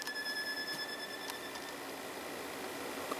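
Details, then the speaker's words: 1990s Sharp stereo system CD deck: a thin, steady high squeal over light ticking that then fades. The owner suspects a slipping drive belt but cannot see a belt inside; unconfirmed. "know if you heard that squealing that actually sounds like a belt so don't know if this is gonna be belt driven or gear driven"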